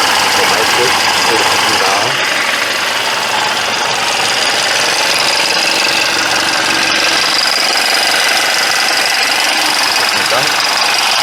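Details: Mercedes E200 coupe petrol engine at warm idle: harsh, hissy, steady sound clearly louder than normal, with no distinct knock. Oil is thick with additive, there is knocking despite premium fuel, and code P0420 is set. Cause unconfirmed.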